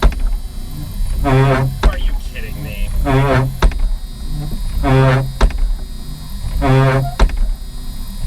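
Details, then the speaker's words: 1988 Jeep Cherokee XJ rear wiper, previously dead or intermittent: motor hum swells and fades in even sweeps about every two seconds, cycling normally every time the switch is hit. "the rear wiper heeled it has never worked at best intermittently but as soon as I hit that switch every time that rear wiper works"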